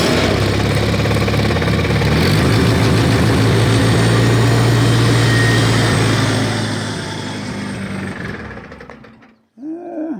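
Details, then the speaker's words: 1953 Farmall Cub after fixing a loud squeal, in neutral, wanting a little choke: engine thumps along at a steady even idle with no squeal, then winds down and shuts off; normal idle. "wants a little choke I guess"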